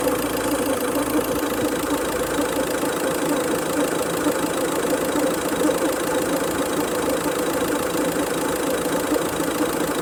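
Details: Idling car engine with a fast, rough clattering rattle over its steady hum. Pulleys, tensioner and belt were stripped and look OK. Cause unidentified.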